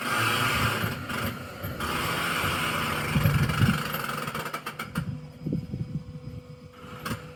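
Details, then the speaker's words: Hunter Horizon 27 sailboat settling aground as the tide drops: irregular low creaks and grinding scrapes as the hull settles onto the bottom; alarming but normal grounding noise. "So, you see where the tide is now. It looks like the whole thing is just going to grind downwards as we drop."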